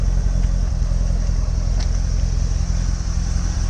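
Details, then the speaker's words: Chevrolet Corvette C6 LS3 V8, 2008, idling with engine vibration and a check-engine light for a cylinder 7 misfire; deep idle with uneven stumbling beat, with cylinder 7's spark coil and wire to be replaced. "We was driving a few days without check engine light, but it was driving with vibrations that were coming from the engine. Cylinder number 7 misfire."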